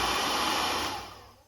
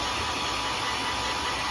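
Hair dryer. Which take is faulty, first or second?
first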